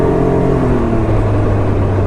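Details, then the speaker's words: 2019 Can-Am Ryker 900, Rotax 900 triple with CVT, pulling away: engine holds a steady low drone without revving as the clutch takes up smoothly; normal CVT clutch engagement. "you can hear the engine it's not like revving it's just the clutch is doing its job"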